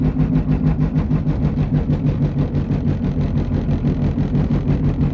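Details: Car driving with a low droning roar pulsing about three times a second from a bad front passenger-side wheel bearing, later confirmed and fixed.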